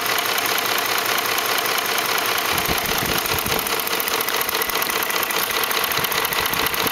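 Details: 2004 Ford F150 5.4L 3V V8 at idle: rapid rattly slapping tick, a couple of beats a second, timing chains slapping the block from failed chain tensioners; fixed by replacing cam phasers, timing chains and tensioners.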